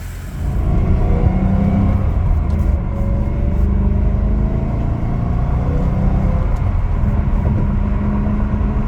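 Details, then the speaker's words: BMW E92 M3 V8 with 88,000 miles, idling about 5 minutes just after DIY rod bearing and engine mount replacement: started right up, steady deep rumble, no knocking or tapping, no leaks; normal engine running. "All right, the engine started right up. I'm going to let it idle for like 5 minutes and make sure that there's no leaks."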